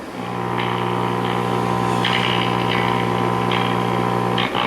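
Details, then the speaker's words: 1940 Emerson DB-301 AA5 tube radio, filter capacitors checked correctly installed, resistors not open: loud steady mains hum and buzz throughout, only faint music leaking through on a station; cause undetermined. "it's pretty much throughout the radio this buzzing huming and I've double checked to make sure the filter capacitors are installed correctly and they are"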